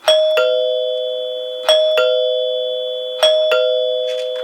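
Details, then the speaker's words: Rebuilt 1930s NuTone Time-Chime 2-note chime base on temporary power, rung from the front and rear door buttons: three clean two-note ding-dongs about 1.5 s apart, each ringing out long and clear. Plungers strike properly and it is in good working order. "resonates really nicely the tone carries for a long time once the plunger has hit the tone bar and it's in good working order now"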